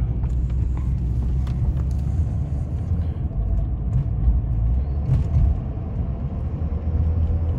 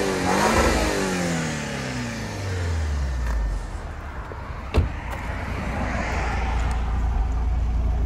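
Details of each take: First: Audi A4 2.0 TFSI direct-injected, driving on about 15:1 fuel-to-used-oil mix: low, heavy rumble surging and sagging, choppy in and out with power loss and sketchy rpm, still on all four; misfire from oil-contaminated fuel, EPC light came on. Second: Audi A4 2.0 TFSI (stage 2, K03 turbo) running on fuel with five quarts of used oil in the tank, free-revved in neutral. It revs cleanly and falls back smoothly to idle with no stumble; normal.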